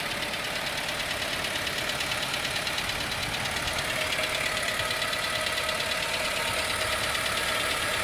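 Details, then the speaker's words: Idling engine with fluid sprayed over the front: steady metallic tapping, roughly two per second, over a smooth idle; it sounds bad, and the cause of the tapping is unknown. "that metal tapping noise? It doesn't sound good."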